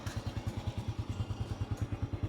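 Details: Honda motorcycle with sidecar, over 10 years old, parked about a year, oil not yet changed, no battery fitted: small single thumps with even beats, no misses or knocks; owner calls engine smooth and quiet; normal idle.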